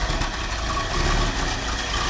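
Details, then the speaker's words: 1972 Lincoln Continental, 460 (7.5L) 4bbl V8 with a tune-up (plugs, points, condenser, wires), cold idle on choke: a smooth, even low beat with no knocks or misses; no smoke, engine in excellent condition. "but uh the engine's in excellent condition no smoke and fuel mixtures just"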